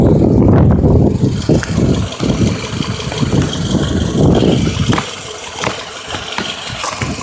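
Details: 2008 Toyota RAV4 with oil consumption issue at idle: uneven, randomly spaced dips and chuffs instead of a steady beat; random misfire, cause not pinned down.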